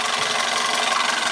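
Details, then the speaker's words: 1999 Toyota Corolla, engine running: a harsh, gritty grinding rides over it without letup, a failed power steering pump. "And as you can hear, there is a grinding sounds on this car. The most common problem with this is we had a busted"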